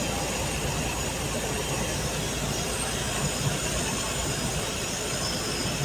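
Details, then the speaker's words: Even-fire 231 engine on a budget car (new Fel-Pro 1200 intake gasket, plugs, plug wires), first drive under own power: smooth even rumble holding steady, no misses, ticks or knocks; running cleanly. "Sure sounds good. Sounds real good."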